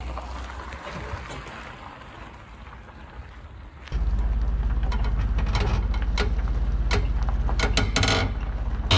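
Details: Weight-distribution equalizer hitch on a travel trailer while towing: low rolling rumble with sharp irregular pops and clicks; hitch clunking and popping, cause not confirmed.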